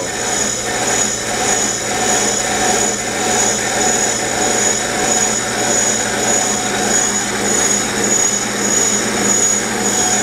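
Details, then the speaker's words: Steady, unbroken hiss-and-whine from a bench brake lathe cutter working evenly all the way around a spinning brake rotor: consistent, normal cut; a skipping sound would mean the cut is not deep enough. "what's good is you can hear a consistent cut going clear around if it was skipping you're you're not deep enough"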